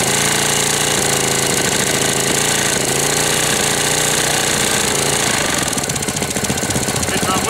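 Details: 1998 Briggs & Stratton 60 (6 hp) Intek Edge single-cylinder restarted after long storage, oil changed, hoses replaced, not warm: rough uneven clattery knock, flat and lifeless even on throttle; sounds about to seize though oil is at level, cause uncertain.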